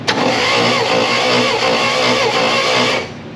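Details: 1962 International Scout 4x4, not run in about 50 years, cranking on the starter: fast steady whir with a scraping, dragging undertone for about three seconds; noise seems to come from the front, possibly the generator being tugged, cause unclear.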